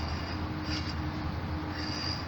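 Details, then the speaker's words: 1999 Jeep XJ with a new Maxsam A/C clutch fitted with three shims and the nut not yet on: the hand-spun pulley gives a continuous scraping rub with an occasional faint squeal, dragging on the field coil. "okay so i've got three shims in there i don't have the nut on but it's the uh pulley is rubbing if you hear that"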